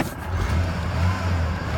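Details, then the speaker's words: 1993 Ford Ranger that would not start, after installing a pre-programmed replacement engine computer: starts and runs with a low, steady, even rumble and no stumbling or misfire; the truck is running normally. "I got it in today I put it in hook the everything up fires over works like like it should"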